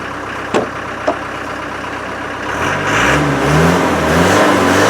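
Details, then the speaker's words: Land Rover 300Tdi diesel pickup sitting since August, started in snow: two sharp clicks, then it revs unevenly, surging and sagging under throttle; owner suspects a fuel supply blockage. "so it sounds to me like there's a blockage somewhere and it's not getting a fuel"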